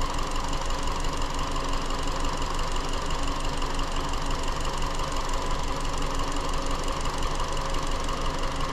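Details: 2017 Hyundai Elantra 2.0L GDI non-turbo petrol idling with a rough, uneven beat; cylinder 3 is dead with no coil signal on the scope. Very intermittent P0303 misfire the car has had since almost new, despite many dealer part changes.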